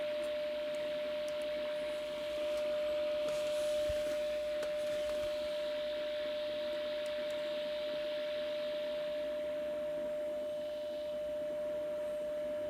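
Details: Graetz Baroness 610 tube radio during AM alignment: a clean, steady mid-pitched test tone at 150 kHz long wave holds strong and even with little hiss after adjusting L135/L134; the long-wave stage is peaked correctly.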